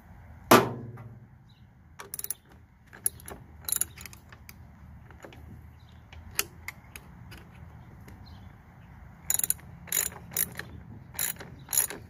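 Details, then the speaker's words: Toro Super Recycler GTS 6.0 self-propelled mower, rebuilt gear drive after grinding/slipping, nut torqued to 32: crisp ratchet clicks as wheel spun by hand, pawl catching cleanly; drive engaging normally. "that little clicking noise so hopefully we got it in there all right"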